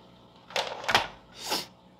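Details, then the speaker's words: Fluval FX6 canister filter after cleaning, valves opened before plugging in: two or three short gurgling bursts as water refills the canister and burps out air; normal priming. "Usually it'll bubble and burp and fill up, but sometimes if it doesn't do that, what I will do is go ahead and plug it in and then unplug it real quick."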